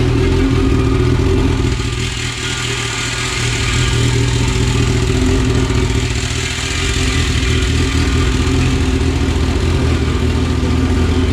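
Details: All-motor LSV Honda EF hatch four-cylinder, first fire-up with no coolant yet, battery a little low, oil capful in each cylinder: steady low idle, firing evenly without knocks or ticks, settling cleanly after start; normal idle.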